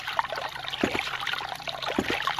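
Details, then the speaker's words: New 2-inch Agri Papa Pump ram pump on a quick test install, with someone standing on the drive pipe: water trickles with a solid, evenly spaced clack about every second, so the pump is cycling normally. "hey now we're talking very cool it is actually still moving under my weight"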